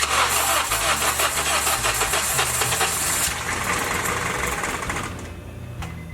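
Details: Honda Civic first start after engine replacement: steady starter cranking for about five seconds after cycling the key to build fuel pressure, stops without catching; no start yet.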